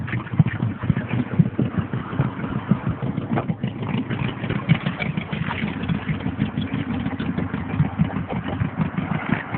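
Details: 1987 Mazda 929 LX, 2.2 inline-four with two-barrel carburetor and no catalytic converter: rough puffing idle with rapid exhaust ticks and sharper backfire pops from a bad exhaust leak before the first muffler.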